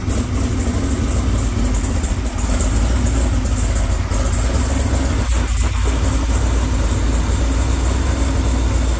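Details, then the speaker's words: 1969 Camaro race V8 on first start-up after the engine was installed: even, heavy rumble at a steady idle with no knocks, ticks or misses; sounds healthy and ready. "foreign sounds healthy as all get out yeah she's ready but she's ready to rumble"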